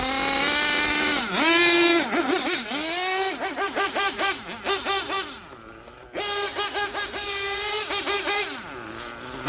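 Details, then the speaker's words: Gimar P5 nitro engine, broken in, in a Hyper 7 buggy on track, fully warm: revving in bursts, then the idle hangs and rises when coming to a stop. The bottom end is going lean after the top end was leaned out. "now you hear that when I uh bringing it to a stop now that Idol is rising uh so now we're starting to get a little lean on the bottom end"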